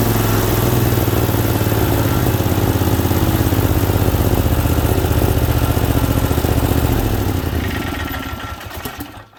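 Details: Second Briggs Vanguard V-twin running on a test stand with the choke held by hand. Smooth, even low thrum with a regular firing beat, then it winds down at shutdown; healthy, normal running.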